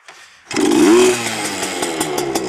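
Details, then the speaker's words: Heavily modified Yamaha PW80 two-stroke with FMF mods, gone a bit cold: starts and revs to a loud, raspy crackling note, then settles to a crisp idle; louder and better than stock, healthy. "but she sounds a lot better than stock anyway um a lot more uh loud as you can hear yeah that's it good old Yamaha definitely better than the Chinese junk"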